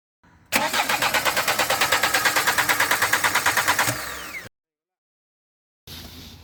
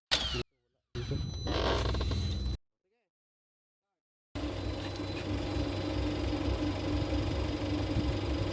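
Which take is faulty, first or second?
first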